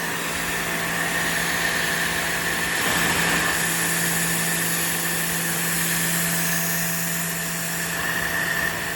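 Steady even hum with a constant high whine on top, no knocks or surging; pressure washer motor and pump running healthy.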